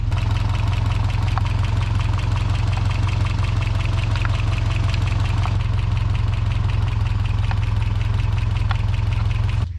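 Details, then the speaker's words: 1992 Toyota pickup 4-cylinder idling after repeated valve lash adjustment, listened to with a screwdriver on the valve cover. Fast, even tick about three a second, same at all cylinders. Owner believes it is the known exhaust leak at the back of the motor. "It still sounds like to me the tick's coming from the back of the motor where we know we have an exhaust leak."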